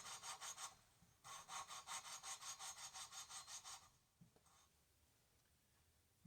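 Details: Kohler Command CH16S engine from a Cub Cadet 2166, head off, valves scored and pitted from overheating: quick gritty rasping strokes about three a second, pausing and resuming, as a valve is hand-lapped into its seat with coarse compound via suction cup.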